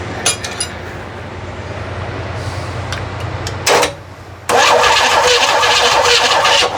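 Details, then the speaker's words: Freshly rebuilt flat-six engine, not yet fired, plugs out while finding number one top dead center for timing, after a sticking old starter: starter spins the engine at an even steady pace with a bright whir; cranking sounds right. "That's the way it's supposed to turn."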